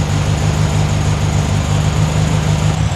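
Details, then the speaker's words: 1972 VW Super Beetle air-cooled engine, warm after about 10 minutes running, after valve adjustment, timing tweak and carb adjustment (30 carb fitted): even, steady low idle with regular beat and no valve-gear clatter; normal idle. "all right guys engine is well doing Engine things like I said been running for about 10 minutes now I adjusted the timing a bit played with the carb"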